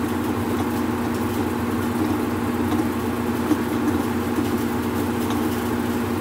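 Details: Whirlpool Cabrio washer in drain and spin, after checking motor and belt and tightening a loose pulley: smooth, even low hum with steady mid tone and no thumping, scraping or grinding.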